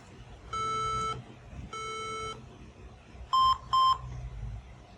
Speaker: so we have uh three long Bib and then two short bib now this bib could indicate different problems on the PC it could be as a result of a malfunctioning RAM and at the same time it could also be as a result of power failure on the system